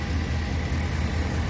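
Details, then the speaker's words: Ram 1500 5.7 Hemi, 51,500 miles, ticked on cold starts since 20,000 miles; after oil change from 5W-20 to 5W-30: smooth, even low idle rumble with no tapping, quiet and healthy. "listen how quiet that is wow that's really quiet I can't believe it"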